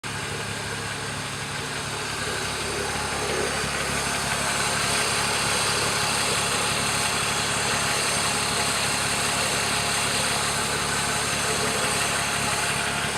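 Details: BMW E36 M3 S52 at idle: dry, fast metallic rattle over a hissy background, worse from underneath at the front of the engine. Timing chain suspected, not confirmed.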